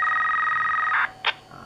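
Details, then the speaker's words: Motorola GP328/GP338 radio roger beep, MDC 2 set to post only with the length set to 7: a steady, high two-note tone of about one second, then a short chirp; the long end-of-transmission beep. "Okey, untuk 7 ni dia akan bunyi panjang macam inilah harkat dia."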